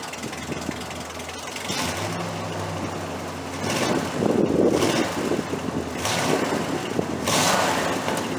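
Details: 1968 Chrysler 300 with a 440 V8 and a replacement used carburetor, after a loose spark plug wire was reconnected. A low, steady idle rumble with no missing beat under some background clatter. It runs better now on all 8 cylinders: normal idle.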